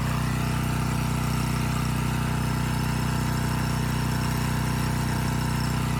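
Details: Abandoned Powermate generator, no AVR, running without load: even steady drone with smooth regular beat, no surging; output adjusted from about 135 V to 130 V, normal idle.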